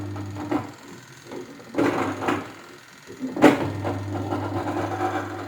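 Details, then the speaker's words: Washing machine spin dryer: on starting the timer, timer and motor are heard but the spinner stays static; steady low electrical hum between lid clunks, no rising whir; motor energised but spinner not turning, cause not yet found. "Spinner इसका जैसे ही मैं timer को चलाता हूं timer की आवाज आती है और साथ में कुछ मोटर की आवाज आती है जैसे ही मैं लिड को उठाता हूं ढकने को उठाता हूं तो यह देखि यह बिल्कुल स्टेटिक है मूव नहीं कर रहा"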